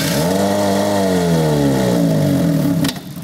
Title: Honda Civic 1.7L starts, runs, stalls (incorrect timing belt installation)